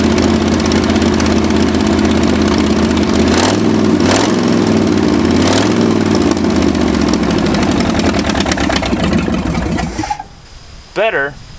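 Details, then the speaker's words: Ford F250 V8, abandoned 26 years, with new plugs but timing still way off and carburetor unadjusted: uneven idle stumbling through throttle blips before shutting off; ignition timing is incorrect. "still not right all right on to ignition as in timing"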